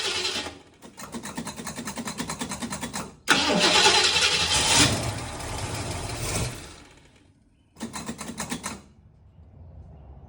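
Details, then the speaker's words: Small-block 351 Windsor V8, bored 40 over, mild build, carbureted, cranked with a Trekure TK50 jump starter with gas given; long steady starter bursts never catch, and the unit times out with a red light. "right, so you see it cranked there for a while. I had to give it, of course you have to give it gas start, but you see I got a red light. So what that did is it didn't start in its time."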